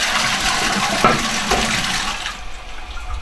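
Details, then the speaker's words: Tank-fed upstairs toilet cistern refilling under gravity head pressure: steady hiss of water easing off with no knocking, judder or water hammer, a normal quiet refill. "But under tank pressure, that doesn't happen so often. So that's a nice quiet refill to the cistern."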